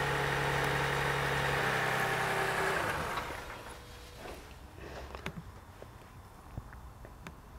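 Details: Car idling during an alternator ripple test: a smooth, even idle for about three seconds, then it shuts off and winds down quietly. Normal, healthy idle.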